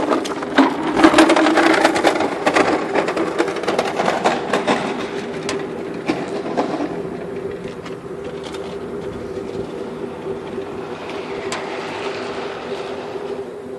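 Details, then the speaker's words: Converted waste-oil furnace on first test run, no drip feed, just an inch of oil and kerosene: loud irregular crackling and popping, about two bursts a second, over a steady hum; burner running extremely rich rather than lean. "now this is running extremely rich because they've got just a inch of oil in this and kerosene so it's not actually running lean which would be actually hotter"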